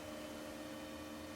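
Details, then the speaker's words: 2004 original Xbox (Kasumi Blue) first boot after PSU swap, no DVD drive or hard drive fitted: faint, steady high-pitched whine over a quiet hum at power-on; electrical, source not pinned down. Electrical whine at power-on. "Hopefully no flames will come out the back. Ooh, that's good. Ooh, that whine."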